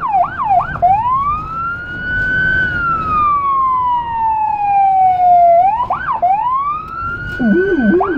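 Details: Federal Signal Rumbler siren on a small emergency car in Budapest, recorded from inside: a wailing siren sweeping up and down, with a pulsing 180–360 Hz low growl joining late on; Rumbler working as intended.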